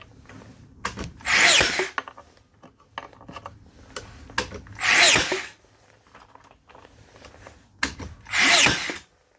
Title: Makita DBN600 misfiring